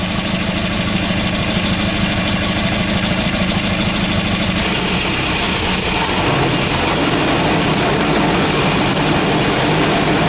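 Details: Volvo B230 redblock, after replacing worn plugs with oversized gaps: tinny uneven rattle about three buzzes a second over a steady idle; loose exhaust heat shield.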